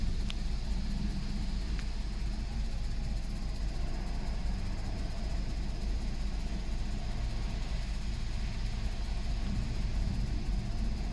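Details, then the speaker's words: 2007 VW Golf GT 1.4 TSI twin-charged petrol (BLG) at idle: a busy, uneven rattle over a low hum that has been getting worse, traced to a failing water pump / supercharger clutch assembly. "engine and as you can hear at idle it's rattling"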